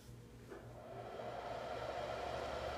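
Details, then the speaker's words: MFJ-4125 power supply, top still on, before the fan-slowing resistor mod; steady even whir settling into a constant midrange hum, no ticking or rubbing, loud enough to annoy; normal but noisy fan. "so it's pretty loud i mean it's not super loud um but it's definitely audible and you know annoying so that's what it sounds like beforehand"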